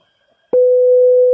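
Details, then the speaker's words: Opel Astra H CD70 radio swapped in, display married via security code: single steady mid-pitched beep because the radio is still uncoded in delivery state; theft protection active only for the display so far. "We only hear that beeping, which means that the radio is still in delivery state."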